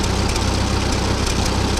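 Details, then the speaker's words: Ferguson TO-20 tractor with 12-volt conversion and new GM three-wire alternator now charging: even, steady low idle beat, no misses or rattles, idling better than ever. Normal idle. "and it sounds like it's idling better than ever now with this. So, that's a win."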